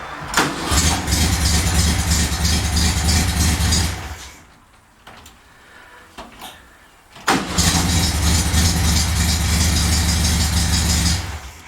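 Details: VW Beetle after an opened and repaired ignition switch: the engine runs evenly, goes quiet, then catches promptly on the key and settles into a steady idle. A healthy start.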